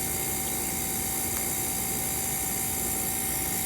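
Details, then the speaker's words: Small refrigerator compressor being converted to a pond aerator, drawing about 2.4 A on a multimeter: steady even motor hum with a faint high hiss, no knocks or rattles. Running normally. "so that's what this little refrigerator compressor draws is 2.4 amps"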